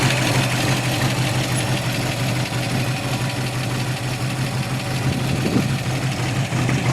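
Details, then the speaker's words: 1957 Corvette 283 small block, 270 HP, factory dual quads, 3-speed manual, 4.11 gears: lumpy V8 idle with light quick top-end ticking throughout; normal solid lifter clatter. "hopefully it'll start still has the solid lifters too you'll be able to hear those yeah solid lifters are the best though"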